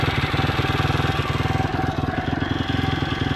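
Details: Stomp CRF70-style YX 160cc pit bike after valve adjustment, intake 0.04 and exhaust 0.06, correcting timing; even single-cylinder thump about four beats a second, no top-end ticking or tapping, runs better than before; normal running.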